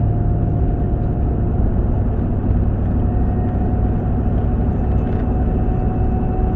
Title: 2012 Chevy Tahoe Making a whining noise wall accelerating anyone knows what this can be